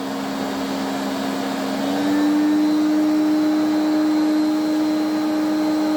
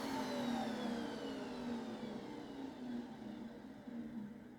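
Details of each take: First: Electrolux 350E cylinder vacuum cleaner, restored, run from minimum up to boost: a coarse droning whine that steps up with each speed, then a grumble on switch-off. The motor is worn inside. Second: Restored 1980s Electrolux cylinder vacuum after switch-off: smooth, steady motor hum falls evenly in pitch as it winds down, with no scraping or rattle; motor healthy.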